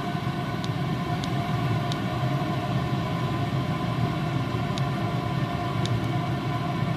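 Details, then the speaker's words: Chinese diesel heater, about 5 years old, after repair (broken glow plug found, de-coked after veg oil gummed it), warm after 14 minutes at full output, being turned down: even low rumble and smooth fan hum slowing down; normal running. "so there you go you can actually hear that that's slowing itself down really nicely I couldn't be more happy"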